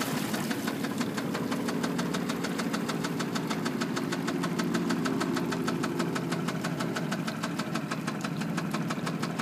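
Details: Yamaha F225 outboard idling back to the dock: sharp, rapid metallic knock over the low engine rumble, rod knock.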